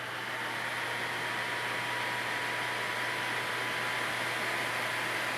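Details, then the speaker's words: Replacement blower fan for a Napoleon 1100 fireplace insert, tested on the bench before fitting: steady airy rush with faint constant hum and whine, no rattles or wobble; not very loud, runs smooth and healthy. "You guys can hear how loud it is. It's not a really loud fan."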